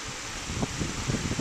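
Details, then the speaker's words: Fridgemaster 16-inch pedestal fan, new, first test, running on speed 2: soft, steady airy hum, a little louder than speed 1 but still near silent, with no ticking, rubbing or wobble. Normal operation. "obviously gets a little bit louder but still silent"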